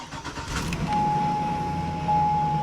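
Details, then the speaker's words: 2005 Hummer H2 SUT from Copart with apparently stock exhaust and 135,000 miles: catches quickly after a brief crank and settles into a steady, even idle with a smooth low rumble; normal start and idle. "she runs sounds like the exhaust and everything is stock too 135 000 miles"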